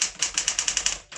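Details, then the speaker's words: 1964 Smith Corona Classic 12 typewriter: quick crisp keystrokes at a steady pace, then a bright ding as the carriage nears the end of the line, warning the right margin is a few spaces away. The margin bell works. "you hear that bell? That bell signifies that you're a few points from the end of where the right margin is."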